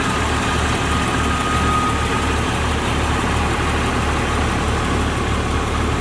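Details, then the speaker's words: 2001 Jeep Cherokee Sport 4WD engine idling: smooth steady low idle, no ticks, knocks or chuffing; headers and header gaskets quiet, no oil leak, original front clip; muffler has a small hole said to be inaudible. "So as you can hear, the engine is very quiet. Headers are quiet, header gaskets are quiet, there's no oil leak."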